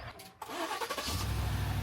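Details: Yukon that would not start for 20–30 minutes, jump-started with a portable jump starter: the starter cranks briefly, then the engine catches at once and settles into a steady, even idle; normal start.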